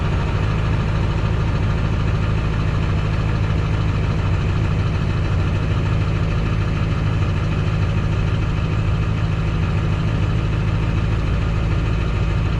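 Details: 2002 Ford F-350 7.3L Powerstroke diesel idling after stuck fuel filter replacement and priming, Sea Foam added: steady deep clatter at even idle, no misses or surging; running smoothly.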